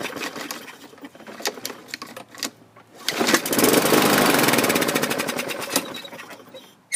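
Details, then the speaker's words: 2015 Yard Machines self-propelled mower, Briggs & Stratton 550E engine, blade missing: it catches and runs with a hard, clacky knock about four times a second, rough and knocky; earlier backfire and rope kickback, owner suspects off timing or a sheared pin. "you can hear it's not it's not sounding smooth something's off when it did start it was kind of knocky and"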